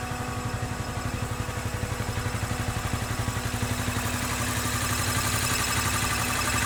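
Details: 2013 Honda CBR250R ABS single-cylinder, 2500 km, six months old, oil just changed to Honda synthetic: steady idle with a light metallic rattle on each beat, about four a second, from engine or gearbox; source unknown.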